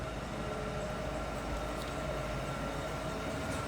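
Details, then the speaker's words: 2002 Cadillac Eldorado ESC, listened to at the rear exhaust at idle: a low, soft, steady hum with no ticking, puffing or rasp. Quiet and smooth, as it should be. "Pretty quiet. As it should be. Very quiet and smooth cars to ride"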